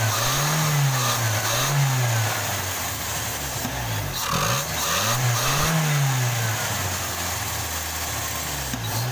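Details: Toyota Kijang Krista 5K/7K carbureted engine after replacing the dead No. 1 spark plug: revs blip up and settle back repeatedly, rising and falling cleanly with no stumble or misfire; no longer limping, running healthy.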